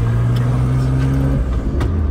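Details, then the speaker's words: Nissan Skyline R32 GTR while driving: loud deep blowing drone under acceleration dropping as revs fall, turbo clearly audible, sounds terrible. "now you can hear how garbage this thing sounds yeah terrible"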